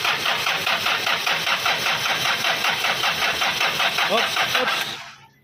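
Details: Hyundai Starex D4BB non-turbo diesel: rhythmic cranking at roughly two and a half beats a second continues without firing, then fades; hard start, cause suspected, unconfirmed.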